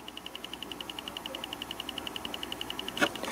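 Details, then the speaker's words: 2.5 A 12 V Bedini charger (2A12-EX) charging a large train battery at about 12.9 V: quick, steady light clicks, roughly nine a second, as the capacitor discharges about twice as fast as the old charger; normal. "that's the capacitor discharging and it's it's about twice as fast um twice as many discharges in the same period of time compared to the old charger"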